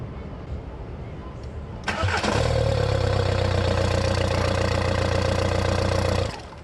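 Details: VW 1.9L ALH TDI with a no-start caused by a sticking intake shutoff flap, started after the flap was cleaned with brake cleaner and turned on and off to check it. A brief crank, then it catches at once to a steady, even idle: a healthy start.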